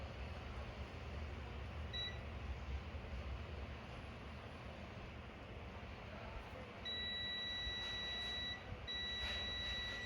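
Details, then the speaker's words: HP laptop motherboard DA0P5HMB8J0 with an on/off problem: steady multimeter continuity beep on a capacitor, showing a short to ground that shouldn't beep, suspected from a faulty RT-series IC to be replaced. "यहां भी capacitor से beep की आवाज आ रही है। यह भी beep कर रहा है। यह विशेष रूप से इस आईसी में खराबी के कारण हो सकता है।"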